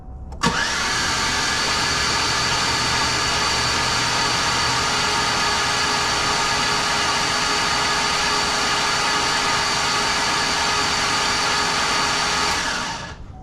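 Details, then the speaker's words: ATK 5.7 LS engine newly installed in Chevy Tahoe rebuild, spark plugs removed: steady high starter whine spinning engine fast and evenly with no compression beats, cranking to build oil pressure before first start. "So all the plugs right now are just finger tight. I'll pull all them out. We'll crank the motor over, and once I get oil pressure, then we'll put everything back in."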